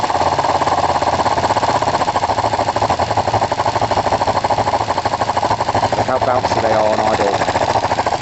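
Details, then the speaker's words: Kawasaki ER-5 twin after compression test and carb float height adjustment: rapid uneven beat with back spitting and popping from the carburettors, likely lean, though the closest to running well yet; owner considers a carb rebuild kit. "yeah I mean you can hear some oh some back spitting and some popping and so it's not overly comfortable but that is the closest I've had it to running well"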